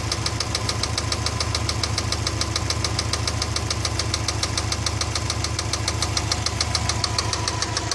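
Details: Subaru EJ206 engine running evenly: a steady knock about three and a half times a second over the running; mechanical engine knock, source unknown.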